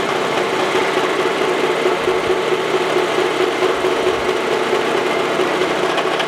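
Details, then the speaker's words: Face mill on a Wells Index vertical milling machine, cutting tool post holders for an antique wood lathe: a steady, even cutting hiss with no chatter once back in a full cut after the interrupted cut, quieter and running smoothly. "Now we're getting back into a full cut right there. You hear it get quiet. It likes that much better."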